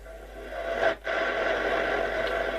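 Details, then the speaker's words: Bush VHF61 valve FM radio, warmed up, after recap: a station plays clearly for a moment, then drops out into harsh, buzzy distorted audio; FM reception distortion from a failing valve. "But still no stations. But we do hear a sort of a noise."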